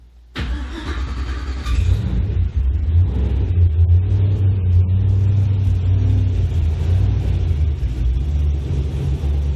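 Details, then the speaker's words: Ford Fairmont project car starting after fitting fan, 3D-printed air ducts and transmission cooler lines: cranks, catches quickly, settles into a steady, even run with a deep exhaust rumble louder than the owner wanted; runs healthy. "So it's a little louder than I'd like. I was hoping for nice and quiet, but hopefully it doesn't drone on the highway."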